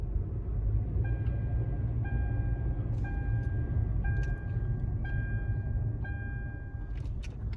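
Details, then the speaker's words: 2011 Hyundai Elantra, test drive after replacing front passenger-side sway bar link and tightening (19 mm) to cure a knock: steady road rumble, no knocks or clunks. "As you see, it's finished. There's no joint."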